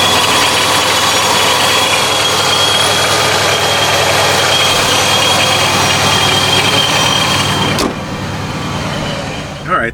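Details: 2015+ Subaru WRX after snapped belt replaced (owner worried about overheating); steady idle with a faint whine on top, then shuts off cleanly; nothing sounds wrong, though owner notes a slightly strange idle.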